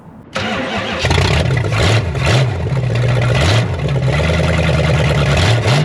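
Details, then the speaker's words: 1972 Chrysler Newport, swapped 440 big-block V8, after adding ignition advance and filling fuel bowls: catches quickly, settles into steady lumpy idle with light blips, no misfire. Smooth idle; sounds better than before. "Now that sounds better."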